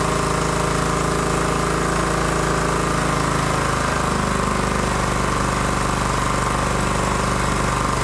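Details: John Deere GT225 single-cylinder engine, first start after fixing its not-running issue with fresh fuel just added through the fuel filter: fires and settles into a steady, even chug at about three beats a second; running properly.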